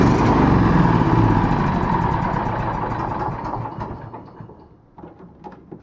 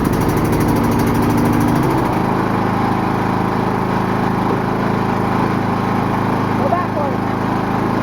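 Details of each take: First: Old riding lawnmower after fuel line repair, plenty of fuel in tank: engine runs, then slows and fades with uneven stumbles before quitting, like fuel starvation; cause suspected, not confirmed. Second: 22 hp Briggs & Stratton V-twin riding lawnmower, on grass: engine note drops and steadies as blades engage, then a constant loud fan-like whir, much louder with blades on; normal mowing under load.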